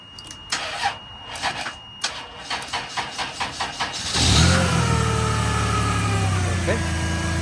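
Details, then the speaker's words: 1998 Chrysler Town & Country that blew its 20A engine/ASD fuse on starting, now running after the alternator plug was cleaned with WD40 and a new fuse fitted: even cranking about four seconds, catches cleanly, steady smooth idle; normal start. "as you can see the car works good. Now we are successful. So we don't have to change the alternator."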